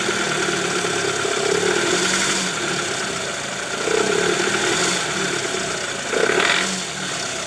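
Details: 2008 Toyota Previa GL 2.4, 186,000 km, in D or R: coarse, uneven idle with a rough "krrrr" knocking undertone swelling every second or two; rough running from worn, loose balancer shaft, confirmed after removal.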